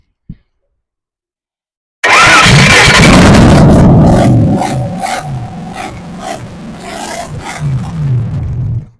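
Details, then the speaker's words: Holden 308 V8 test-run before fitting to a vehicle catches and roars up, then revs sag and stumble and it dies within seven seconds; the fuel pump quit and starved it. "My fuel pump decided it's time to quit."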